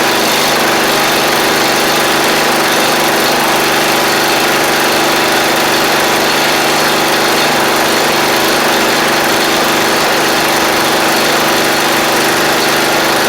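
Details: Seven-year-old MTD Murray riding mower, small single-cylinder engine with fuel of unknown age, rust found in tank: steady even buzz at high idle with no misses or surging; running normally.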